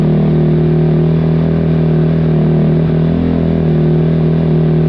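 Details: 2005 Kawasaki KX250F single-cylinder four-stroke, just after carburetor clean (clogged pilot jet), no choke: lumpy, wavering idle that dips and recovers, running rough; owner wonders if it's too lean.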